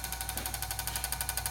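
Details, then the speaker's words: Garage door opener after pressing button, light blinking: fast, even chatter of knocks about twelve a second repeating without the motor pulling through; door won't open, owner thinks it sounds like the motor, cause unclear. "started making this noise, and it won't open the garage."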